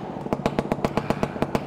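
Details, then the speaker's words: Stuart Turner P5M 2-stroke single-cylinder inboard boat motor running after first start, quite smoky: even, crisp pops about eight per second with steady spacing and no misses; normal idle. "It's quite smoky, but it is a two stroke. But listen to that. That is really rather lovely."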